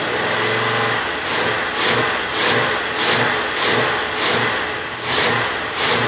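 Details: 1967 Oldsmobile 442 original 400 V8, rebuilt with new rod and main bearings and rings, running on engine stand, about 180 psi compression, good oil pressure, radiator getting a little hot; steady even run with gentle rhythmic swell, no knocks or ticks; normal running.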